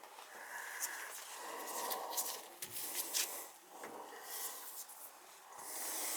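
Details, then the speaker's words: Burnham boiler hydronic heating system with all zone valves open: soft hiss of rushing water with sputtering air bursts rising and falling as trapped air purges out. "Got all the zone valves open. You can hear all the air coming out."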